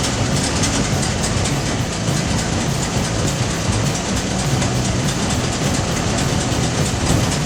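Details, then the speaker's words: 1955 Packard Patrician V8 running on its own for the first time after the rebuilt mechanical fuel pump's too-tight diaphragm valves were adjusted to proper clearance; deep, steady idle with an even pulse, no misses, knocks or ticks: normal idle. "Oh my gosh. Hear that baby purr. Wow. Big day. Big day. Can't believe it."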